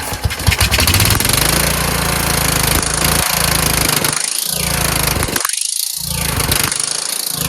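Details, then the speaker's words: Kohler Courage engine on a tractor, after a cylinder head swap, carburetor replacement and valve lash adjustment, started on choke; it runs but surges, sagging and recovering, same as before. Owner suspects the throttle bracket: the return spring made it want to stop. "has something to do with this throttle bracket. I put a spring here to have it return, but it was causing it to want to stop. Then I took the spring off, and then if you kept it right there, it worked really well."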